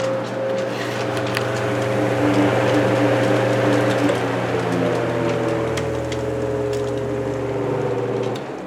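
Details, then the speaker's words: Antique fan, higher revving than the 16-inch, just after oil change and new wick (not yet soaked into oilite bushing): smooth even hum, light whir, no ticking or rubbing; running freely, healthy. "Again, we're not going to notice any difference now because, well, it hasn't had a chance to soak into the oilite bushing, but now this is a high revving fan when compared to the 16-inch."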